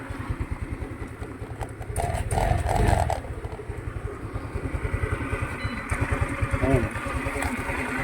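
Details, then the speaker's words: Rusi Rapid GY6-type scooter unused two years, carburetor rusted: hard to start without throttle, idle thuds unevenly, surges and slowly drops until it dies after throttle release; rust-clogged carburetor causing hunting idle, no idle and hard starting. "ngayon pag binitawan natin yung throttle ayan oh maririnig niyo unti-unti na siyang mabababa yung Menor para siyang"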